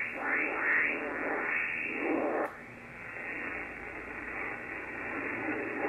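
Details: Ham radio receiver (Yaesu FTdx10, band scope) near 3.856 MHz: rushing, hissy buzz swells and fades across the band, intensity varying; radio frequency interference from a washing machine motor drive, not power lines, which no noise blanker removes.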